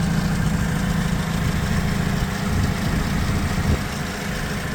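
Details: Gas (LPG) Toyota 02-8FGF25 forklift, 2018, low hours, after mast servicing and hydraulic hose replacement: engine starts and settles into a smooth, even low idle with a steady beat, no knocks, misses or rattles; normal healthy idle.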